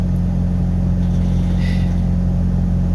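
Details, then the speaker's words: Pickup after reconnecting MAP sensor to a different port, previously idling rough with a code: just started, even steady low idle with no misses; running smooth, owner thinks wrong MAP port may have been the cause. "and actually i might not even do that because it because it just started up and it's running smooth"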